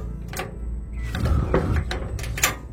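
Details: Gas stove with hard-to-light burners after a simple home fix: a few sharp, irregular igniter snaps, then the burner catches with a blue flame; ignition now working normally.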